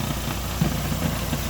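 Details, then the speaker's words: 2012 Renault Sandero petrol engine idling with light, irregular knocks from a loose air filter box missing its screw; noise grows louder when the latch is released with engine running. "Ah então não sei se vocês vão ouvir mas o barulho tá aqui ó isso aqui tá solto Olha isso aqui ó ó ó tá sem parafuso aqui ó tem parafuso ele deixa eu fico nesse barulho"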